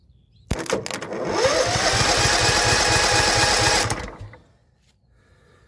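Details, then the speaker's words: John Deere L110 lawn tractor, sat outside about 3 years, carburetor had been off, cranked directly on the starter: about three seconds of even cranking, roughly two compression beats a second, no firing; engine turns freely, not seized. "oh there we have it she wants to turn over"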